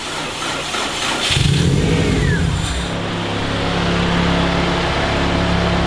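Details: Freshly built Subaru EJ205 in a WRX, first start on 10W30 conventional break-in oil after priming oil pressure: brief crank, catches at about one second, flares, then a steady even boxer idle with no knocks; healthy start.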